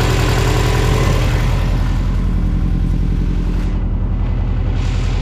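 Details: 2002 US Subaru Impreza WRX, cold engine: idle with a hollow, even knocking about three or four a second under the boxer burble; cold piston slap.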